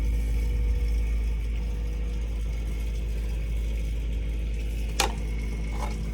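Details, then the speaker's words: Circulator pump just switched on at an HTP 399 high-efficiency firetube boiler with four purge stations and no visible primary loop: steady low hum, no grinding or surging, brief click near end; pump running normally. "that pump that just came on."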